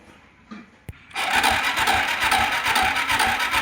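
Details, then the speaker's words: TVS Apache 2011 motorcycle, previously no meter lights and no self-start, after battery terminal cleaning and wiring repair: a couple of clicks then starter spins firmly and engine settles into a steady even beat; starter cranking normally. "तो हमारा seller लगने लगा है।"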